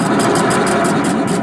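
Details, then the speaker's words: Old used air compressor, just reassembled and not yet hooked up, running loud with a fast, regular metallic clatter about five times a second over the motor hum, sounding like metal against metal. Cause suspected, not confirmed. "sounds like metal is against metal"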